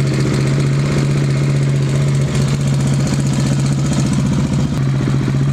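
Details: KTM 690 single after Rally Raid mechanical cam chain tensioner properly set (pressure point plus half turn): even thump with strong low drone, no clatter or whirr; healthy normal idle.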